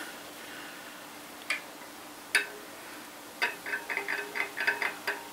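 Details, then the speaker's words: Bicycle wheel with loose spokes, especially when pedalling: sharp dry ticks, a few then about eight in quick succession, as the hub twists on the loose spokes. "what man that's the sort of noise I'm hearing especially when I pedal because obviously these spokes are loose when I pedal it's twisting the wheel hub a little bit and that's making that noise that I can hear"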